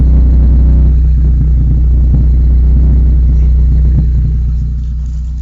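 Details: Rover 213 SE engine running: a deep, loud, regular chuffing pulse at about four beats a second under the engine note, typical of an exhaust leak.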